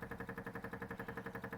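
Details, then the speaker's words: MGB GT on stands with the engine off and exhaust disconnected, hunting a petrol leak: rapid, even ticking about ten beats a second that never stops. The fuel pump keeps running like mad; the cause and leak location are not yet found. "we've got the club on stand so we can see under there a bit better and you can hear the fuel pump going"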